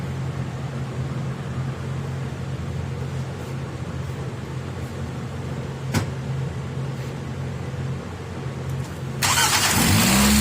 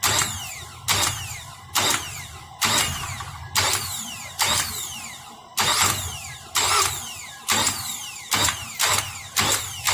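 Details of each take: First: 2004 Nissan Altima 2.5L after warranty starter replacement, old starter's pinion not fully engaging the flexplate and scratching: starter spins briefly and the engine catches and rises cleanly, no scraping or grinding; normal cranking and start. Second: 2004 Nissan Altima 2.5L with warrantied replacement starter, after sitting about 20 hours: repeated harsh metallic scraping about once a second instead of cranking, plunger not pushing the pinion fully into the flexplate ring gear.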